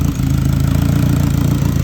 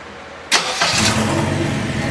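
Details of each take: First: Turbo K24-swapped Subaru BRZ at first startup, misfire code cleared, blow-off valve unclamped, catch can open: low, even pulsing at steady idle with no misses, knocks or hunting; normal idle. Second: Subaru BRZ with a turbocharged K24 engine swap, first startup attempt; the starter whirs and a few uneven firing pulses try to pick up, then fade; the engine almost catches but will not keep running.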